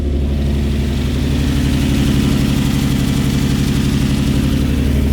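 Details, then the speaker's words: Nissan 350Z with P0300 random misfire code, idling in neutral after coolant bleed: mostly steady idle with faint uneven stumble, a cylinder dropping out now and then; not fixed, owner unsure whether compression or other cause. "Hey guys, it's just not fixed. I don't know what's going on."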